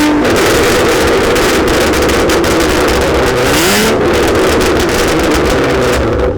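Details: Catless V6 Mustang, catalytic converters removed, running a tune on 93 octane: loud raspy exhaust rises and falls with revs, sharp crackles and pops throughout; owner unsure whether it runs rich, backfiring without shooting flames.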